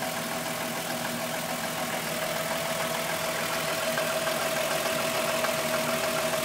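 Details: VW Golf VR6 2.9, 103,000 km, steady idle: a raspy whir and thin high whine over a light, quick ticking. The owner heard a chain rub for a while, and it grew louder after replacing the upper hydraulic tensioner screw. Suspected timing chain rubbing.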